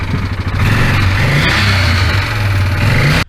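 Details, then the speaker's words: 2016 Yamaha Wolverine 708 engine, believed run out of oil; owner reports it smoked a little on startup. Loud, rough running with an uneven clattering knock under the exhaust rumble indicates engine damage from oil starvation. "bad day for my customer ran it out of oil see if you can hear it"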